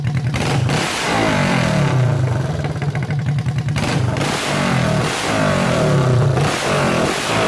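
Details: Honda CB350 basket-case twin, first start on electric start, no exhaust fitted, carbs not yet tuned; loud open-pipe twin firing evenly, revs climbing crisply and dropping back to a steady idle. Normal idle and revving.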